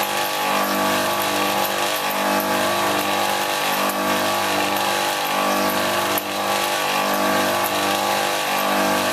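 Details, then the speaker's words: Copeland ZB42KCE scroll compressor in a condensing unit on a milk tank, about ten years old, found not pumping. It runs with a steady hum, a rough gritty rasp and a slow pulse, noisier than a healthy scroll. "yeah it's not so happy is it no"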